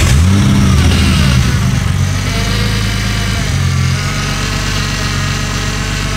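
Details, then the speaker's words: Barra turbo six swapped into an EF Falcon, restarted after the MAP sensor was plugged into the intake hole: barks up on a rev, then holds an even idle with the earlier knock gone; normal running. "but plugging it all up even with a tiny bit of a hole to mount the map it has sort of fixed that weird knock so Bill thinks that it was like a timing issue but it all works now"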